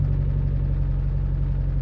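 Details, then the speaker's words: Mitsubishi Evo IX, high-power, started cold at 30° outside: a deep, lumpy cold idle with an uneven exhaust beat from one cylinder misfiring. Individual cylinder EGTs are being watched to pinpoint the cylinder. "feel a little bit of a misfire there's"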